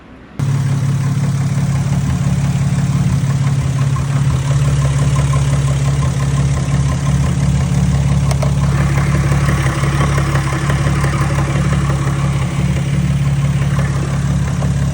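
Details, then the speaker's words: VW VR6 12V petrol engine after rebuild (new cams, followers, rod bearings; original pistons and rods), idling: steady deep hum with light regular knock about three per second; owner suspects piston slap, cause unconfirmed. "so we put everything back together just this last time and uh I have what sounds like piston slap"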